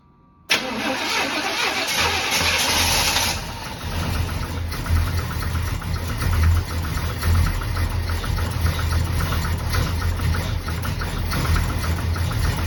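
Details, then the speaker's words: Abandoned barn-find square-body Chevy truck at about zero degrees, after hours of work: cranks and catches, then settles into an uneven, lumpy idle with irregular surges; runs rough, owner thinks he found the problem. "several hours later I finally got this truck to start it wouldn't run very well but I think I found the problem"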